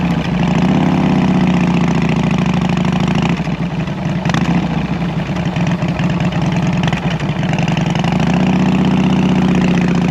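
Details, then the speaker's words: 2014 Harley-Davidson Heritage Classic V-twin after fitting Cobra El Hombre fishtail exhaust, before running the tune: deep loping even idle, moderate volume with a brief blip, about as loud as old pipes; healthy. "so yeah so there you have it um medium loudness about the same as the as the old pipes that were on it before but under load it's going to sound real good"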